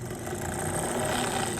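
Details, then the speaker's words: Starter removed from an International 1566 tractor with a starter problem, bench-tested on a charger: steady electric whir with no grinding, spinning freely, then the solenoid kicks in when powered. The starter motor itself sounds healthy. "so both so when we hooked the the power to the starter the starter spun obviously you guys saw and then when we hooked the power to the solenoid it kicked in"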